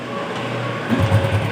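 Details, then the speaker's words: 2008 Honda Revo with total electrical failure, electric starter dead: kick start brings low uneven putter settling into quick pulses, engine runs on kick only; cause found to be a broken wire despite looking intact. "Nah, kalau disela ini musinnya bisa hidup ya."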